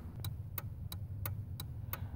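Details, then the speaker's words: Hazard flasher clicking evenly about three a second over low idle, heard after installing an LED-compatible Trident EP27 flasher relay under the truck's steering wheel to fix LED hyperflash; normal flash rate. "so I've got the uh fourways on and where you can hear the clicking"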